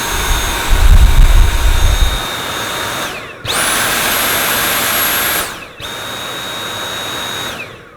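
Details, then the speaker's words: Dyson V8 Absolute cordless vacuum, new, on the regular (lower) power setting: smooth high whine spinning down and settling to a quieter even tone, noticeably quieter than max; normal running. "I found with my v7 that I didn't have to use max very much at all so on the lower setting it should be a bit quieter"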